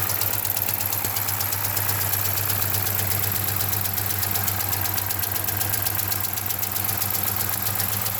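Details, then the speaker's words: Dodge Charger Hemi V8 idling with a steady sharp knock about four times a second, suspected bottom-end (rod) knock, not extremely loud; MDS solenoids ruled out and the oil pan likely has to come off. "when you rev this thing up you can hear that bottom in not extremely loud"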